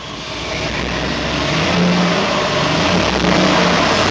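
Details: 1974 Chevrolet C10 with LSX V8: uneven, lumpy rev with a choppy stumble, running on only 4 cylinders because of a misfire from a loose ground wire for the ignition coils.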